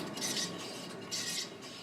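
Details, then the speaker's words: Subaru Forester on a lift, rear wheel spun by hand: a faint gritty grinding swells about once a second, a worn rear wheel bearing that also hums while driving, even in turns; the wheel shows no play. "It's like a little grinding noise. That's the bearing."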